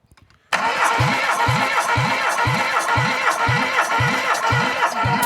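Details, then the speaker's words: Long-stored ZAZ 1102 Tavria engine cranked on the starter during a compression test averaging 13: an even cranking beat of about two per second, every compression stroke steady and alike, no weak beats; compression is good. "середньо 13. Когресія бомба. Компресія бомба."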